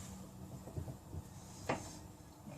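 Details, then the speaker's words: Triumph Bonneville America Speedmaster rear wheel off the ground, rocked by hand: soft dull clunks and one sharper knock from free play at the wheel centre, worn rear wheel bearings to be replaced. "That is, you can feel it coming from, you know, the centre of the wheel."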